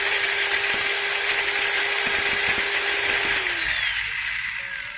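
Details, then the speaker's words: Maktec MT90 grinder after replacing the pinion gear: high steady whine with faint light rattle from the gear head then clean spin-down; mild chatter typical of new gears, not slipping like worn ones, should smooth with use. "yang pasti saya sering menemukan e mesin grinda martek mt90 yang baru suaranya itu ngeretek cuman ngereteknya berbeda dengan Gear yang udah haus kalau yang udah haus itu ngeretek terus ngelos kalau ini tidak ngelos guys cuman hanya sedikit kasar aja"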